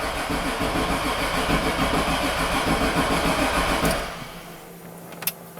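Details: 2002 Chevrolet 2500HD 6.0 V8 plow truck, 193k miles, nearly out of gas: steady starter churning about 3.5 beats a second for four seconds, never fires; crank no start, no spark, no fuel.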